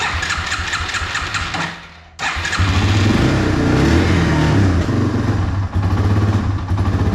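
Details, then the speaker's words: Yamaha 225XT dirt bike before carburetor cleaning, not yet warmed up; single cylinder runs ragged, nearly dies, then catches into an uneven idle, hard starting and rough running, carburetor suspected. "But I mean, it even really kind of has some trouble starting. So it'll, you know, just runs really rough right now."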